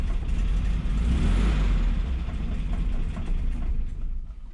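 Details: 1963 VW Bus that wouldn't start, after reconnecting a loose ignition-switch wire to the starter solenoid: engine catches, revs up, then settles into a steady low thump about four beats a second without misses; running fine.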